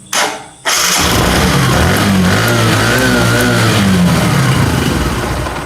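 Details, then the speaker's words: Motorcycle with spark plug gap set wrong (about 0.4 mm) that keeps stalling and won't idle. It starts, then runs ragged with uneven popping from the silencer and unsteady revs. Misfire from weak spark due to the incorrect plug gap. "और DC में अगर आप देखेंगे silencer से फटफट करके sound आ रहा है, मतलब ये मिसिंग भी कर रहा है।"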